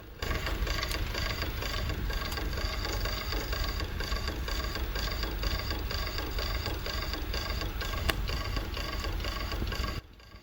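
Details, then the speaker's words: 1988 Sony SLV-353 VHS video recorder, tape transport running. Quick even mechanical chatter with a faint repeating tick as the capstan rotates. The noise is from the capstan, cause not yet found. "Something's not right. I think it might be the capstan actually. So, okay, let me have a look underneath. It's definitely a noise with the capstan as it's rotating."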